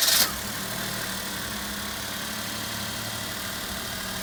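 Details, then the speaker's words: Daihatsu Mira after engine and gearbox restoration with head gasket kit, cold start a day after repairs, coolant slightly low and topped up: brief start burst settling into steady even idle, no knocks or ticks, running cleanly. "तो अब इसको cold start करते हैं और इसका radiator का पानी check करते हैं कि क्या सिचुएशन है।"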